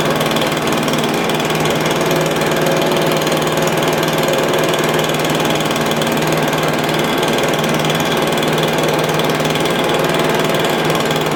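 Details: Stihl BR350 blower, formerly backfiring out the carburetor, after fitting the correct ignition coil to fix timing (knockoff coil was wrong); steady, even two-stroke buzz holding speed, no popping or coughing; running cleanly.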